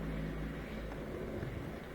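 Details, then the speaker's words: Miele Incognito dishwasher, previously with a circulation motor cutting in and out, tested after a fix. A steady hum and even swish as the pump circulates, then stops while more water fills to below the triple filter handle and restarts, judged normal. "I think that's normal for it to circulate then it turns off the circulation motor fills with more water to the capacity right below the handle of the triple filter and then it'll circulate again"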